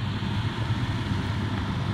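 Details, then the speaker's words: Defy Autodry DTD252 tumble dryer blows air but drum doesn't turn: steady low motor hum with fan rush and no drum tumbling, motor and fan spinning freely, drum belt suspected off. "yeah it's blowing in and you can hear the motor running but you open it up it stole again you can hear the motor running it's not only the fan"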